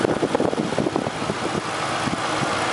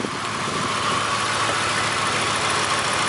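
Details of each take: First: 1999 Mercury Grand Marquis (P71) 4.6 after finding a broken clip behind its misfire: steady, even, smooth idle with no stumble or shake; engine sounds normal again. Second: 1999 Grand Marquis P71 4.6 V8 ice-cream truck that developed a miss in cold weather: the idle has an uneven, stumbling beat and shaking over a hissy background, a lean misfire.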